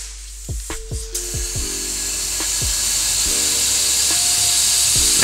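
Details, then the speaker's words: Turbo system pressurised to about 15-20 psi through a leak tester on the turbo inlet: a steady high hiss as pressure drops quickly. A big boost leak at the wastegate vacuum line. "so you can hear this and this is dropping off quite a bit so that's a pretty big lead and i can tell right now that's coming from the wastegate vacuum line"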